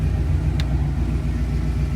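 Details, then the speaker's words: Ford Fox-body after its idle was turned down to about 850–900 rpm; earlier it popped, which was suspected to be a spark issue. Deep, steady rumble with an even beat and no stumbling or hunting: normal idle. "all right so as you can see we now have the car idling a lot better so let's listen to it now"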